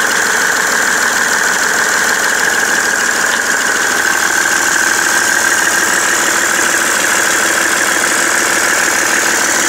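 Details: BMW 330d E91 diesel at idle after main and EGR thermostat replacement, also smoking: a repetitive light knock about twice a second with a thin high whine above it. The cause is unknown.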